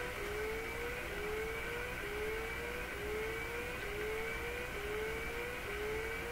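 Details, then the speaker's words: Rising tone repeatedly sweeping upward about once a second over steady hiss from a radio during IF alignment with a BK 3030 sweep generator, signal injected at the tuning capacitor bypassing the antenna transformer, low input level; unexpected rising tone. "Well, there's that rising tone again. Not quite what I expect."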